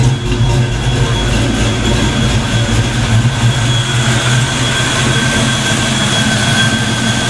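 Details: Black Stang (Mustang) first fire with 24 lb injectors and 73 mm mass air meter; after shimming rockers, deep steady idle with even rhythm and no misfire or tapping, not yet warmed up: normal idle.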